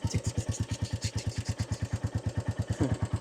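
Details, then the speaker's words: Royal Enfield Classic 350 at about 2585 miles, valves last serviced at first service: steady thumping idle with a light, even valve tick; reportedly a healthy 350. "a healthy 350, so I'm told."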